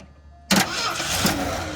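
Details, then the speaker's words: 1979 Ford F350 dually, 400M small block, automatic, sat over 20 years; after new starter and battery cable replaced slow cranking: starter spins engine briskly and evenly but it never catches; cranks but will not start. "okay boy that sounds better go ahead and turn the key on and see if she busts off"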